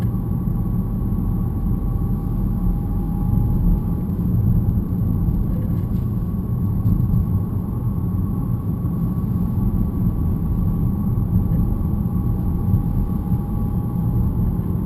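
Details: BMW E90 318: thin steady metallic whine above heavy road rumble while driving, louder in person; previous owner blamed the differential, brake pads newly replaced; cause suspected, not confirmed.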